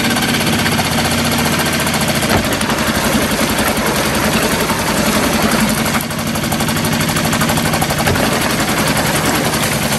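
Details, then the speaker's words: New Hangkai 6.5 hp four-stroke outboard, after over-high idle screw was backed out: loud, steady rapid putter holding constant speed without surging or dying; smooth normal idle. "this idle speed was was pushed way way way too far in so i unscrewed it some and it seems to be fine now"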